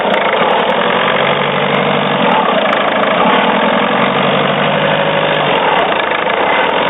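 Steady idle carries a fast, regular rattling tick on top of the hum; an odd noise, cause not clear by ear.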